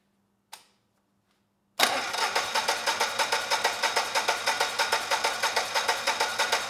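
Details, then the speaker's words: Generac XG10000E generator, about 10 years old with only 12 minutes of run time; fuel was left in the carburetor. After plugging in a connector, even starter cranking never catches because the carburetor still isn't delivering fuel. "that is not the only issue the carburetor is still not delivering fuel"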